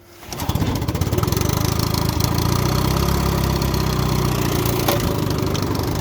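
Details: 1958 Johnson FD-12 18hp two-stroke outboard on a Sea Nymph 14R, sat for years, new points and condensers, converted to short shaft: fires within half a second into a steady, fast putter with no misses; normal start and idle.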